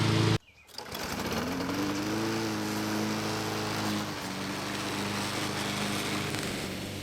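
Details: Lawn mower after carburetor cleaning and replacement of a leaky fuel line: after a brief pull start it settles into a steady, even drone that holds speed; it runs normally.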